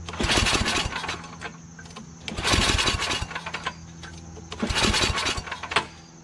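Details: Yard Machines 8HP Tecumseh snowblower before carburetor replacement: revs swell and sag about every two seconds, never settling; surging and hunting from a clogged carburetor, plus an unidentified intermittent noise possibly from the recoil.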